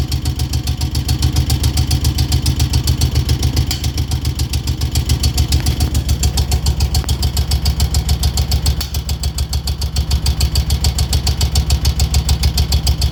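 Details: 2002 Moto Guzzi California EV V-twin at idle: sharp even tick about three and a half a second over the thumping twin; source not pinned down.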